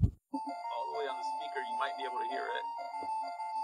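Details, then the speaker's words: Game Boy Color playing with volume turned all the way up, yet the game tune comes through thin and quiet and slightly crunchy, with crackle on the notes; the speaker's voice coil has come loose from the cone. "so the volume is not only low but it also sounds a little crunchy"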